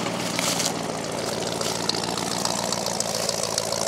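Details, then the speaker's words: Ford F-150 after engine swap (rebuilt short block, new small cam), still cold: steady even idle with smooth regular beat, no knocks or misses; AC idler noise audible; healthy. "And it even sounds good. Sounds about even. Small cam that's in it."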